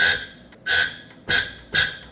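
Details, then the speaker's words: Hyster R80 forklift diesel, next injector on a pop tester, raised from about 950 PSI but still under 3,000: four short crisp high chirps about half a second apart, cutting off cleanly, a good spray pattern. "So, we're not even up to 3,000 PSI yet, but it has a nice chirp. You hear that? That's what you want."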